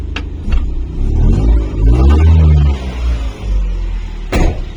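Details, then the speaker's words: Honda Acty kei van just after exhaust replacement: small engine blips up and settles back with a low, even exhaust note, no blowing or rasp, much quieter than before; normal running, quiet exhaust. "now all the noise is coming out of there it's dead yeah so it's running it sounds a lot better now not nowhere near as loud"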